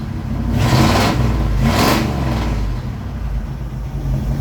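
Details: 1967 Ford F100 truck with FE big block V8, just after carburetor rebuild (leaking accelerator pump valve fixed, fuel screws adjusted), choke off, cold start: steady low idle with two clean throttle blips, no more rich smoke; normal idle and revving.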